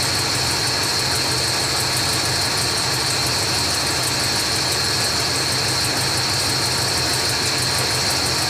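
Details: 1980s Ford motorhome engine idling steadily with a faint high whine on top, no surges or knocks, just after installing a Standard Motor Products FV5K fuel tank switching valve and switching over to the other tank; normal idle.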